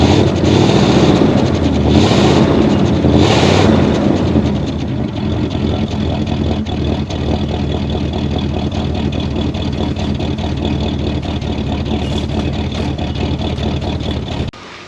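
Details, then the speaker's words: 1973 Oldsmobile 98, 455 V8, 66,000 miles, first run after 15 years off road and carburetor float cleaning: after revving, smooth quiet idle with light steady puffing tick; cracked exhaust manifold or bad donut gasket on one side suspected. "Sounds like we have a cracked manifold or a bad donut on that side, but smooth and quiet."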